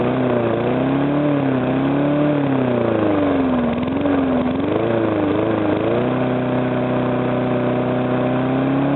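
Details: Briggs & Stratton single-cylinder engine, first start after rebuild: runs steadily with slight speed variation and little to no knock; the earlier knock came from compression leaking past the piston, fixed by rearranging the rings and cleaning.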